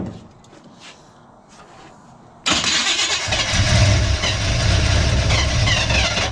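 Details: Big-block Chevy V8 in a truck, not run in years, timing untouched, carburettor filled by hand: catches sharply and settles into a steady, strong idle with no misses.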